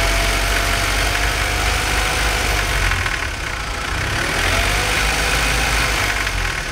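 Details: BMW 318i petrol engine with a rough idle that hunts and stumbles, dipping briefly mid-run with an irregular uneven beat; cause not yet found.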